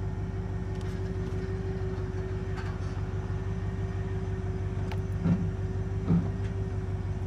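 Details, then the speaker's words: 2500 Silverado with 8.1 L Vortec and Allison transmission, towing a boat at low speed while lugging, after replacing plugs, coils and wires for a misfire under load: deep, even rumble pulls steadily with no hesitation or dropped cylinder; normal engine under load. "okay no hesitation i don't feel any missing or losing any cylinder come back again"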